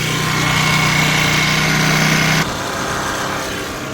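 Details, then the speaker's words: Cheap Troy-Bilt backpack blower, two-stroke, new carburetor, primer pressed a dozen times, started first pull on medium choke then choke off: steady high even buzz that drops smoothly on throttle-off, no misses or surging; running normally. "I mean, it started first full, medium choke, and then off. So it's running great so far."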